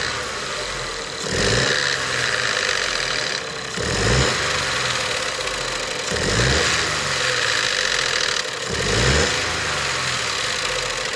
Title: Ford 1.0 ecoboos vanos making noise